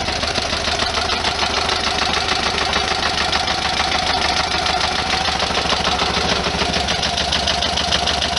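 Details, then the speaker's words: 1973 VW Super Beetle after refitting an oil cooler bypass plunger; the owner suspects STP oil treatment jammed the bypass valve and fears engine damage. A fast, even ticking clatter over the idle, about 200 a minute, like noisy valve gear or lifters. Valve train clatter. "it doesn't sound right with all kinds of valve fire and stuff"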